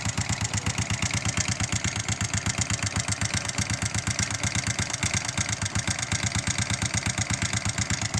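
Single-cylinder idle with a sharp, regular knock riding on every firing pulse, roughly three a second; the source isn't pinned down.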